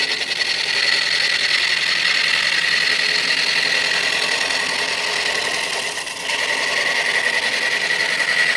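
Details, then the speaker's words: Tool on a wood lathe turning an out-of-round mallet blank smooth. A steady, bright scraping cut with a slight uneven flutter eases as the flats are removed, though some flats remain. A knot at one end causes extra hardness and bounce. "okay you could just hear the flats go away yep hadn't quite got all the flats so but it's starting to feel very smooth"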